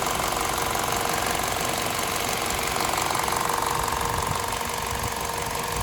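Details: VTi 120 petrol engine, 137,700 km, warm idle: fast even light tick about three per second from the left side of the rocker cover; top-end valvetrain ticking.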